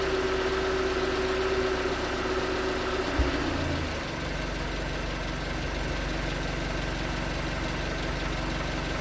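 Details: 2019 Hyundai Tucson 2.0L GDI Nu, 24,000 miles, on Mobil1 5W-20 with a NAPA filter under 1,500 miles old: faint, even light knock, about four per second, at cold idle. Owner suspects piston slap; switching to 5W-30 only slightly improved it.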